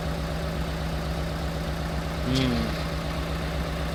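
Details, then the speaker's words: Piaggio Porter / Daihatsu Hijet four-cylinder after replacing the igniter module: uneven, lumpy idle with an irregular stumble, check engine light still on, owner suspects wiring problems; misfire at idle. "So now I will start the engine and look if it misfires. So this one is good. Okay. The check engine light. No. It still runs rough."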